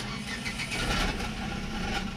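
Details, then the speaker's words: Renault Kwid small petrol engine at first start after a fuel filter change: settles into a steady, even idle with a light tinny rattle from a small metal plate; no fuel leaks, all fine. "encendió hace ruido pero por la laminita entonces vieron que todo bien sin ningún problema"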